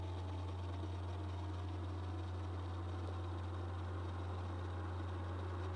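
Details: 2019 15-inch MacBook Pro with CPU under load: steady low buzz at one even pitch over faint hiss; owner unsure whether CPU or GPU is the source.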